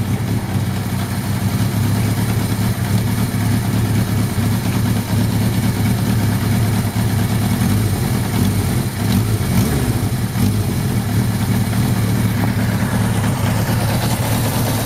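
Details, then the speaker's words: Suzuki GS1100 G first start after carburetor strip-down and clean plus valve clearance adjustment: steady, even four-cylinder tick-over with a smooth drone that holds without hunting; idles cleanly, oil leak still present; normal idle. "pretty cool tick over still got that flipping oil leak oh man what are we gonna do about that damn anyway this is pretty nice little adjustment maybe on the screws over here that's pretty good that sounds pretty good to me"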